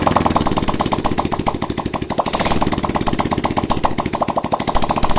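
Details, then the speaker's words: Honda Supra-family 100cc single-cylinder motorcycle (Supra Fit/Grand/Legenda type) idling steadily and evenly after cylinder head and carburetor refitted, curing a hard-start fault despite good spark and fuel; healthy normal idle. "Hai malam nih mesinnya sudah bisa hidup kembali ya para brader semua jadi seperti itu cara mengatasi atau memperbaiki motor yang susah hidup tapi pengapian dan bensin itu ada"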